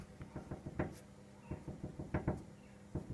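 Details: 2014 Toyota Corolla with a post-accident replacement bonnet: hollow uneven knocks as the closed bonnet is tapped, loose rattle on one side; new height-adjusting rubber stops not set properly, rattles at idle; fix is adjusting the stops.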